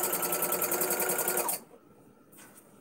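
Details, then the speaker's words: Domestic sewing machine during free motion quilting: fast, even stitching rhythm of about four stitches per second with a thin, high squeak riding on it, then stopping; sounds rarely used, and the owner suspects it needs oil. "definitely needs something, because it sounds like I never use it. Quite squeaky. Thread thing down. It is pretty darn squeaky."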